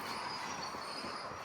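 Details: Large wide roller on tillage implement behind a quad-track tractor in dry field: continuous high piercing metallic squeal over rumble, first thought to be scraping; a failed, dry roller end bearing, to be replaced.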